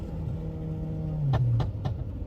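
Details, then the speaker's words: VW Tiguan after swap from 09G/09M automatic to DQ250 DSG, driving in manual mode: revs climb and drop crisply on three instant 1-2-3 upshifts a quarter second apart, each with a sharp exhaust crack; clean, healthy shifts. "I'll put it in manual and I'll slow down here and I'll do like a 1, 2, 3 so you can hear it. The upshifts are literally instant."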